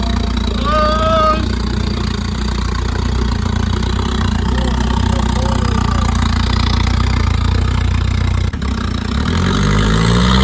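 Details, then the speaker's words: SR20 Nissan Bluebird with junk turbo kit, after reattaching loose throttle linkage: idles then revs cleanly with faint rising turbo spool whistle; normal revving, possible boost leak suspected. "Kind of hear the turbo. Yeah, dude. That's definitely boosted. It is pretty peppy"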